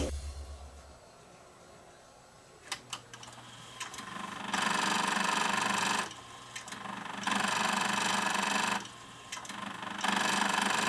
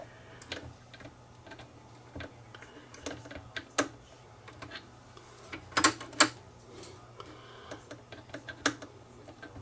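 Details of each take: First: Akai GX747 reel-to-reel tape deck (two-speed, auto reverse, six glass heads) grinding as soon as powered up: a click, then buzzing grind bursts about every 2.5 seconds; sounds like gears stripping, traced to gear slipping on a loose actuator motor. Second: Akai GX747 two-speed reel-to-reel deck after lubricating the slide, which had grinding at power-up: crisp mechanical clicks over a faint steady motor hum with no grinding, a tape transport cycling normally.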